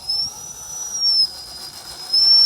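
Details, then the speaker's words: Axial Ryft-based RC crawler with 2200kv Revolver 540 brushless motor: a high, thin whistling squeal rises in bursts with each throttle application; the motor squeals under load. "all right control is gonna be beautiful oh that 22's got a little bit of a squeal to it"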